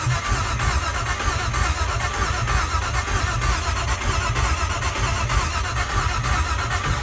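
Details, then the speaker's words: Vehicle after wiring corrected and extra red wire removed, attempted start with no exhaust fitted: starter churns the engine over steadily at a regular beat but it never catches or fires; cranks without starting. "Nothing. It's cranking though, so part of the situation is fixed."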